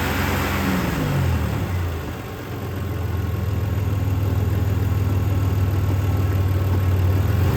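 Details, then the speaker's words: 2008 Impala LS 3.5L engine being revved, with a bad mass airflow sensor: light, rapid knocking from plastic debris rubbing on the AC compressor, not internal engine damage. "it does have some knock sounds because there's some plastic rubbing down on the AC pump down there unfortunately with how the vehicle sits right now I can't get in there to cut it out"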